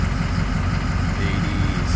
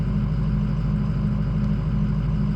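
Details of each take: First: Ford 6.0 diesel after an OEM IPR fixed rough cold idle, high ICP and hot no-start, warm at 22% IPR: steady, even low rumble with no stumbling or hunting; healthy idle. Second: Ford 6.0 diesel, cold, just warming up: a low, uneven, lumpy idle with high ICP pressure; the engine also won't start hot. Fixed by replacing it with an OEM injection pressure regulator (IPR) valve.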